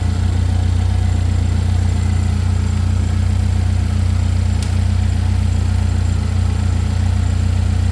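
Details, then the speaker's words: Chevy Equinox after an engine replacement, running just after first start-up: smooth, even low idle with a steady pulse, no knocks, ticks or misses. Engine running healthy. "I said we just started up for the first time, right when you called. It's running right now."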